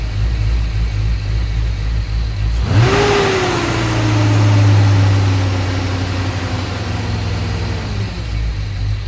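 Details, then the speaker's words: LS V8 truck with a big cam that surged and bucked at idle, after the throttle body blade was drilled for more idle air: the engine cranks, catches and flares, then settles into a steady, even, lopey idle with no hunting or surging; a healthier idle note. "If you watched any of my videos, you can tell it sounds a lot better. Just by a little bit of air. Just got a healthier idle note."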